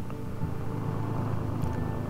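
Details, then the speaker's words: 1968 International Fleetstar 2000 dump truck with 6-71 Detroit two-stroke diesel, first start after sitting about 15 years; deep, even idle rumble with a steady beat and no knocks or misses: normal idle. "Man, this thing sounds really good. For sitting all these years, I can't believe how good this thing is running."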